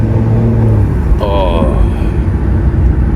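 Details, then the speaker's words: Stage 2+ tuned BMW M235i (F22), N55 turbocharged engine, first drive after rebuild, switched from eco to normal mode under acceleration: engine note builds with a brief rising turbo whistle; clean normal turbo spool. "Let's put it on normal mode now. People, listen to that sound. Can you hear the turbo?"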